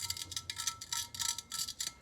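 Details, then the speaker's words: Honda CT110 Postie engine bearing spun by hand during rebuild: dry, rasping hiss with faint ring from sand and grit left after soda blasting the cases, which needs careful cleaning. "if you can hear that that's a bearing full of sand so i'm gonna have to really carefully clean these out"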